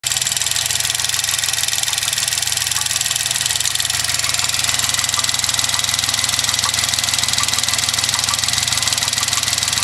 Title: weird engine noise